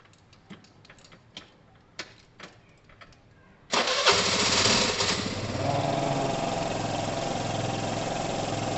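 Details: 2012 Piaggio Fly 125 scooter, fuel checked not stale and oil clean at correct level: a few light clicks, then the engine catches and settles into a steady, even idle with no misses or rattles; runs fine, normal idle.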